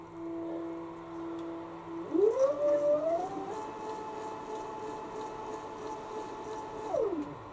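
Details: Homemade stepper-motor X-axis power feed on a milling machine, set by a speed potentiometer and direction switch, trial run: clean electric whine climbs in pitch, holds steady for several seconds, then winds down smoothly; working properly, though fast acceleration still causes slight problems.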